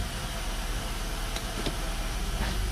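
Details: Normal idle in gear of a 2005 Honda Accord EX V6 coupe after a transmission range switch replacement for an intermittent no-crank no-start; it goes into drive. A steady low hum with an even beat, no knocks or misses, smooth settled idle.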